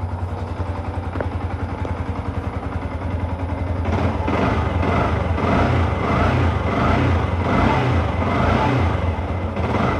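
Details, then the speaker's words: Yamaha R15 single-cylinder, 10 years in use, engine never opened, after its first oil change in 5 years (about 100 cc left, refilled with new MPX oil). Even, steady putter that lifts slightly; normal idle, smoother than before. "Udah sedikit lebih terasa lebih halus suaranya dan tidak ada tarikannya lebih enteng karena olinya beli baru, tarikan enteng."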